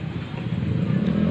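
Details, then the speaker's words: Hot-engine rough dry clatter at idle from the cam chain area on a Honda Grand / Supra series (Supra 125 injection) single-cylinder; cam chain rattle, attributed to a leak in the automatic cam chain tensioner plunger. "suara kasar itu timbul di area rantai keteng atau rantai kamprat nya juga ada suara kasar itu waktu kondisi mesinnya panas"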